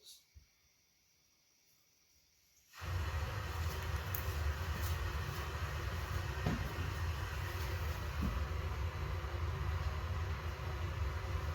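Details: 1976 Corvette Stingray V8, sat 8–10 years, fresh fuel, new filter, fresh oil; after a no-start and adding "a little Jack Daniels" it catches and settles into a steady, deep, slow idle that is a little low; idle screw to be turned up.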